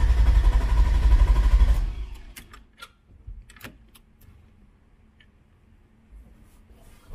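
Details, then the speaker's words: Elco with replaced head, just after fixing charging issue; starter cranks evenly about two seconds, engine never catches, no fuel pump priming hum heard at key-on; owner suspects too much wired to battery positive; crank, no start. "you yeah i'm not getting the fuel pump so check that and see what's going on because if you listen you usually want to turn the key you should be able to hear it priming right now there's nothing"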